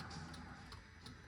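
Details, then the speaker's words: Car with key on and battery temporarily hooked up: fuel pump primes, then steady light ticking about every third of a second under radio music; turn signal flasher working normally. "As you can hear, the fuel pump just primed. We got blinkers."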